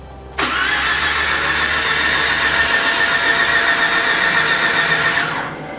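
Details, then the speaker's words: Mazda RX8 with swapped rebuilt rotary engine, fuel pump fuse pulled, dry crank before first start to get oil through bearings: even fast starter whirr with faint steady whine for about five seconds, no firing; normal. "I just want to crank it over a couple of times um just to make sure that uh yeah, there is oil going through the bearings before we fire it."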